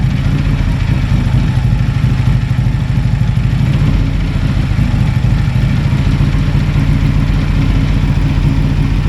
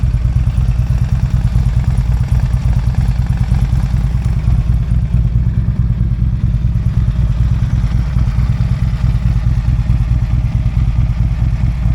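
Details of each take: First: Harley-Davidson on a shop dyno in Kingman, Arizona, owner chasing a clunking noise: heavy, loud V-twin thrum under load with a rough rumbling growl underneath. Worn transmission bearings growling, replaced. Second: Harley-Davidson V-twin after shop repair with a new chain and a replaced worn bearing. Deep, even loping idle with a faint expected cam tick, and the earlier rattle is gone.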